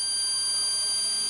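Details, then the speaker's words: NetGain Warp9 series DC motor driven by a Curtis 1221C-7401 controller, running with no flywheel: thin, steady high-pitched whine from the motor caused by the controller frequency, which stops above a certain speed; normal for old Curtis controllers. "You'll be able to hear it, and you'll hear the whine. So there's that whine, and the whine is actually coming from the motor, and it's the frequency."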